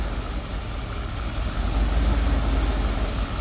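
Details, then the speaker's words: OBS Chevy truck after Sea Foam treatment: low, uneven idle with a loose ticking pulse about four per second, intake and exhaust sounds mixing, heard through the exhaust; rough idle not fixed, cause unclear. "You can hear the intake and the exhaust just mixing together making that sound."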